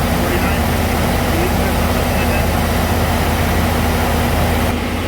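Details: 2006 Chevy 3500 dump truck held at about 1900 rpm via scan tool, steady even drone with no knocks or ticks; oil pressure about 50 psi after sending unit replacement, no issue found.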